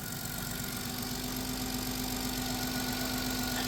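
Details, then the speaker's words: 2000 Chrysler Grand Voyager SE, 114,000 miles, just started after 8 years parked, accessory belt cut off: even steady idle about four beats a second, no ticking or knocking; normal idle. "It's so quiet because nothing's spinning. It just fired right up. You You poor thing. Listen. It doesn't even tick. Why does that sound so good?"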